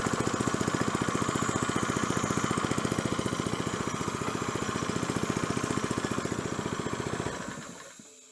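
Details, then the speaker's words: 1970s scuba tank air compressor, first run after new belt pulley fitted, intake filter cork removed: steady, even single-cylinder thump about three beats a second with air hiss, making pressure, then winds down smoothly; healthy running. "I heard some air. Okay, that sounded good."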